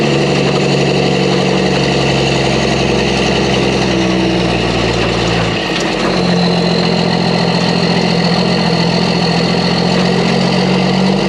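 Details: Mack truck diesel after engine reassembly with new parts: strong, steady note holding even, slight load change midway, no knocking, rattling or misfire; normal running.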